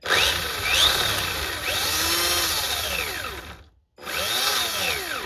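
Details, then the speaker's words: Homemade 'Frankenstein' RC car differential with 3D-printed parts and a nylon gear, run up to full throttle with no load: electric motor whine sweeps with throttle over rough gear chatter, then something breaks; the owner suspects the spur gear. "That sounds like something's broken. Right, something's broken again. Something has broken."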